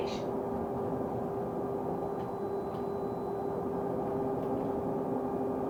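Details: Stagecoach London North bus SLN 82060 on night route N199. A steady tone that never rises or falls sits over the bus's rumble the whole time, source not identified; constant-pitch tonal noise.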